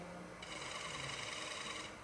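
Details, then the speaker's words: Wood lathe turning a bowl, gouge floating just off the bevel while chasing a high spot: soft even shaving hiss over a low quiet hum, no chatter, squeal or catches, a clean, well-supported cut. "You hear how quiet my tool is? If your tool is making a lot of noise, that's generally a bad thing."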